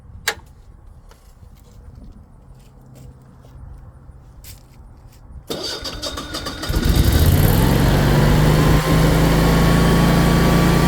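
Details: Generac 24 kW propane standby generator at first startup after installation: quiet, then it cranks, catches, warms up a few seconds and settles into a steady, even drone before transferring to generator power, so it is running normally under load.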